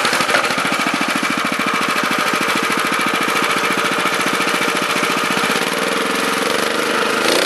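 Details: Honda FR600 5.5 hp tiller, unknown year, needs half choke or bogs: runs fast with rapid even buzz, pitch drops as the throttle limit screw is turned down; revving too high, limit screw adjusted.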